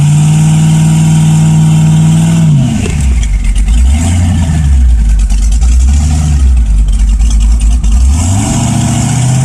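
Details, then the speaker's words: LS1 V8 swap, sloppy stage 2 cam, turbos not connected so essentially naturally aspirated, 3200 stall converter: deep drone holds low under load, creeping at 2600–2800 rpm against brakes; AFR 13.0, steady, no misses or pops. "so it does seem to have good fuel it's supposed to be a 3200 stall but around 26 2800 it starts to creep and push through the brakes"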